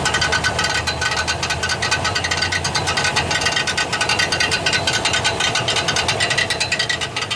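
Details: 1999 Chevrolet Silverado 1500 4.8 4WD: harsh uneven metallic grinding and chattering about two hits a second while cranking; bad starter, worn Bendix drive bouncing off the flywheel teeth.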